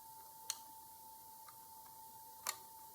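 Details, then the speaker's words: Digital socket timer under repair, relay activated by manual operation: two sharp, isolated clicks about two seconds apart over a faint steady tone, switching cleanly, so the fault may be solved. "We can hear the relay activated with the manual operation. So the problem may be solved."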